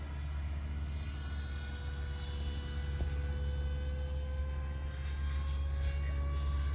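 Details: Freewing F5 Tiger RC jet with new 12-blade fan on takeoff: deep droning roar with a whine climbing in pitch, uneven and sickly; the 12-blade fan does not work with this motor.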